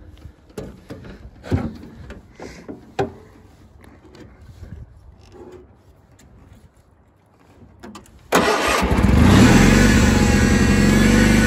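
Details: 1983 IH Cub Cadet 782 garden tractor start-up: after some handling clatter the engine cranks, catches right away and settles into a steady, even run without misses; normal.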